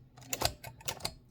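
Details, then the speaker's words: 1925 Mignon 4 index typewriter, backspace tested with the carriage installed: uneven mechanical clacks as the carriage steps; backspace advances instead of returning because the carriage rack is out of adjustment. "that backspace moves it on, but the carriage is not in the right phase or adjustment, or rather the distance."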